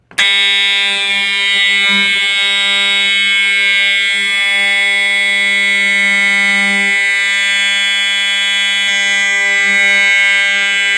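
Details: EST 7577AHS older Integrity horn strobe, continuous only, triggered from a pull station with pigtail connectors; loud steady unbroken buzzing at constant pitch, very loud; horn sounding normally.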